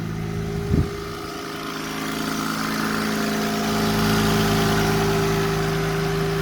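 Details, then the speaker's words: Mercedes W124 300CE-24 at about 203,000 km, cold morning start heard from the front outside: engine idles evenly with a steady mid-pitched whine on top from the secondary air pump pumping air into the exhaust during the first minute or so of warm-up; normal. "these engines are a little bit loud especially in the morning when it's just warming up because right now it's got an air pump that actually turns on it's like a air conditioner uh pump compressor and what it does it pumps air into the exhaust system somehow"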